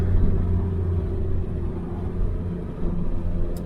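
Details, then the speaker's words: After fixing a boost leak behind a 30FF no-boost code, a BMW 335i N54 pulls under hard throttle with a deep, steady, even sound and no hiss, flutter or hesitation. Boost holds consistently and builds normally. "that sounds good feels good too and it was consistent all the way [Music] through"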